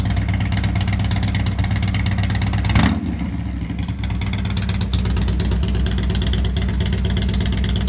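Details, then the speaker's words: Harley-Davidson after Feuling 525 Reaper cam kit install with new cam bearings, lifters, high-pressure oil pump: deep, even V-twin lope at idle with one clean throttle blip, no ticking or knocking; normal running. "There's Dave, happy owner, brand new cam set. Sounds good."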